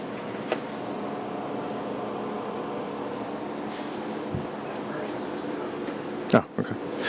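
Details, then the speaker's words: Lumenis UltraPulse Encore CO2 laser at startup: a low buzz with clicks, chirps and pops during the normal roughly 45-second self-calibration, which checks that it delivers adequate power. "you'll hear buzzing some clicking some chirping a couple pops and a buzz and as it calibrates itself to make sure that there's adequate power"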